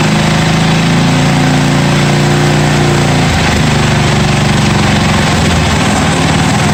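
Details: 1982 John Deere 108 lawn mower being built into a mud mower, first start after fitting a different carburetor: strong, steady single-cylinder thump that dips in speed around three seconds, then holds evenly; healthy.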